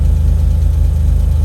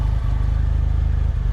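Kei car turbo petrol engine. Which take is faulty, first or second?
second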